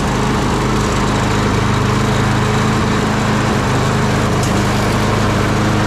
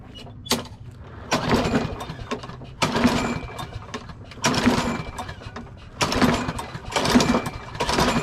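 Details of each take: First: Craftsman push mower after replacing the carburetor with a new Briggs & Stratton 650 series unit, primed and pull-started outside: loud, steady, rapid single-cylinder beat without stumbling or hunting; running normally. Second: Craftsman push mower with Briggs & Stratton 650 series engine that refuses to start: repeated hard cord pulls, turns over but never fires; no-start from carburetor fuel fault, fixed by replacing the carburetor.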